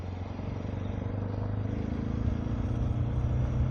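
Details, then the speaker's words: Suzuki DR650 single ridden under light load in Quito, at high altitude, after a mechanic fixed a vibration and noise from the motor: even, steady low thump with no misses; runs better, with more power. Air filter snorkel removed. "Oh, that sounds way better. You feel the immediate power difference also."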